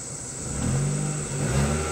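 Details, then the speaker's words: 2005 Mazda 3 after fuel pump and tank replacement, running at 56 psi fuel pressure with the new pump drawing about 5–7.5 amps: smooth, steady, even drone with no misses, stumbles or knocks; fuel delivery healthy. "it's red getting ready to turn it off okay still running powering right along at 56 psi"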